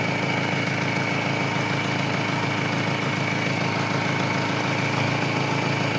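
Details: Engine idles smoothly and evenly after a jump-start by parallel connection (battery had dropped to 4 volts, now 14 volts), with the battery terminal removed; it keeps running without stalling, meaning the alternator is charging. Normal idle.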